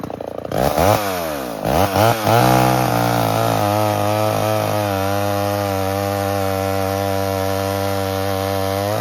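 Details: 1978 Homelite XL12 two-stroke chainsaw, revived after years of sitting, cutting firewood: it revs up cleanly, the pitch dips and recovers as it bites into the wood, then holds a smooth steady scream; cutting healthily under load.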